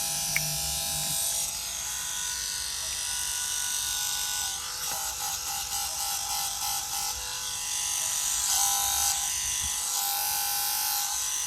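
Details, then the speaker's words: Bus's factory rear air-conditioner fan motor, reassembled after dismantling and rechecking for its noise: steady high-pitched buzzing hiss with a fine rapid rasp and no grinding; nothing rubbing, just normal brush-on-commutator noise. "I took this thing apart again and double checked everything and uh there's nothing rubb that's not supposed to be rubbing that's just the the sound of the commutator the brush is rubbing on the commutator"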